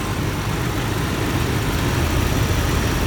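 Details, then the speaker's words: 1991 Lincoln Town Car 4.6L V8, said to have over 200,000 miles, bad transmission, exhaust smells rich: deep, steady idle with even low rumble, no knocks or misses; normal idle. "smells rich [Music] it sure sounds good"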